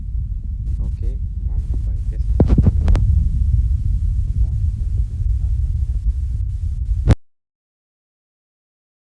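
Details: TVS Victor single-cylinder bike, long-unused non-starter, after carburetor cleaning and service: low, steady thumping idle holding even about seven seconds before shutting off; engine runs normally.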